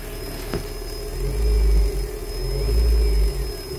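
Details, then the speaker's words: Plug-in Bluetooth FM transmitter at 87.9 powered from the same car supply as the radio: steady high whine and low hum over the idling engine through the speakers; ground loop interference, remedied by separate or battery power. "let's start the car waiting for [Music] pairing paired you can hear that humming"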